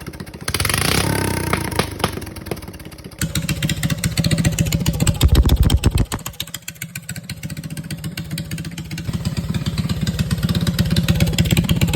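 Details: Rebuilt Honda GX270 single-cylinder, converted from gear reduction to stock crank with new coil, crank and side cover, on a Realtree RT200: uneven firing beat with a few revving bursts, no knocking; running fine after rebuild.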